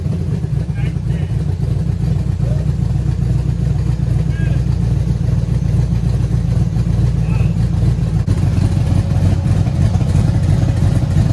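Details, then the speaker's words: 1966 Chevrolet C10 LS swap, test fire with Craigslist aftermarket cam reinstalled, before HP Tuners tuning: deep choppy lope at idle with uneven low pulses, no tapping; runs fine and better than stock cam. "I can't believe it this is actually a huge diff from that stock cam it sounds way better it seems to be even running better"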